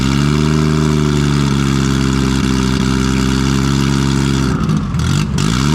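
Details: Nissan RB20 after fixing no compression in cylinder 5, caused by the lifter under a low-sitting intake valve. Loud open-exhaust six idles smoothly, then clean blips up and back, firing even with no misfire. Normal idle and revving.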